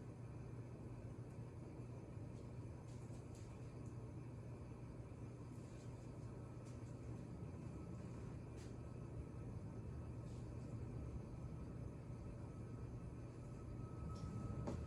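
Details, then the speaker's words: Hampton Bay Chatham ceiling fan, polished brass, made July 2003, running on high: steady low hum with a faint loose rattle throughout. The noise was worse on medium and quiets only slightly on high; the loose part is unidentified. "And speaking of high, that's what's next. And the noise kind of quiets down just a little bit, not by much, but yeah."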